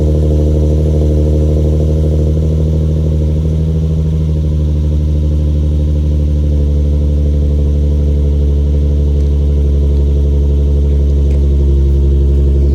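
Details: Infiniti G35 Sport HR sedan, nearly warm, after tightening loose ISR Y-pipe bolts that caused an exhaust leak and high idle; steady even low idle, unchanging note, no ticking, puffing or rattling. Normal idle.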